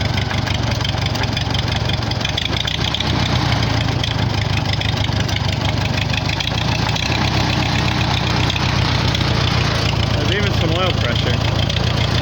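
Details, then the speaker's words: 1944 Farmall H four-cylinder, first run after sitting, no coolant in it: low, uneven, lumpy idle; owner suspects it isn't firing on all four cylinders; hydraulic noise also noted. "i don't think it's running on all four cylinders either but i don't want to overheat it"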